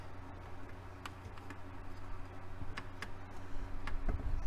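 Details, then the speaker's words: Technics SL-B30 belt-drive turntable with speed and auto-return faults, after pressing start: faint sharp ticks about twice a second, a little uneven, over quiet motor hum, seeming to come from under the platter; repetitive clicking, cause not yet found. "I can't see what's making that noise now it sounds like the noise is coming from underneath the platter it's kind of the kind of what it sounds like"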